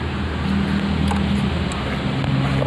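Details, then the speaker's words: Motorcycle after tightening a loose steering head (komstir): steady low idle hum while the front end is rocked, with no knock or clunk coming through. The earlier clunking is gone and the steering head is now tight. "Ayo kita cek Apakah ada suaranya jadi seperti ini sudah suara Hai penduduknya sudah hilang ya suara ceruk-ceruk Nah itu sudah hilang"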